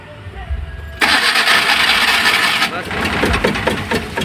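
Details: Maruti Omni: steady starter cranking at about three turns a second that never catches; no spark at plug wires, crank no start traced to faulty spark plug leads/ignition cables.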